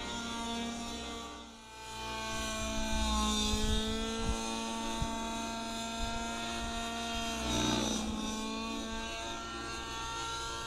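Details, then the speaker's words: Gas model helicopter engine near optimum needle setting, easing into full collective: strong steady buzzing note holds pitch under load and keeps climbing cleanly; normal running. "full collective now and it just keeps climbing that's good she's running good"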